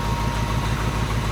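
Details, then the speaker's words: Ryder's classic Mustang just fitted with ACES Killshot fuel injection, first start, warming toward 160 degrees when self-learning begins; loud low idle with uneven lumpy pulse, running rough as EFI hasn't learned yet. "Okay. Well, she fired up. She's not running the entirely best, but the self-learning kicks in at 160 degrees, which we're close."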